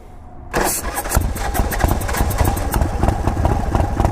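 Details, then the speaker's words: Large chopper V-twin, possibly RevTech motor, open primary, part of intake cut away, cold start: catches instantly after short crank, lumpy but even idle; clean, healthy cold start. "that's a cold start, guys. Touching the exhaust, it's a cold start. That fired up pretty good."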